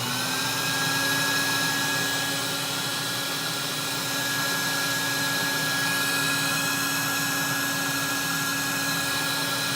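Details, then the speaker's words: Electrolux model 89 "Elux O Matic" vacuum cleaner (1964), running after rebuild and service. Steady, even high-pitched whir with a constant tone and no rattles or surging: a healthy, normal-running motor. "You're going to definitely want to know, you know, what a good, healthy Electrolux actually sounds like."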